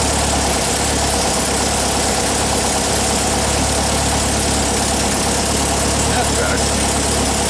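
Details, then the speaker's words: 1959 VW single cab pickup air-cooled flat-four during restoration, warming up: a steady, even putter with no knocks, misses or ticks; a healthy, settled idle. "Sounds good. Let it warm up for a minute."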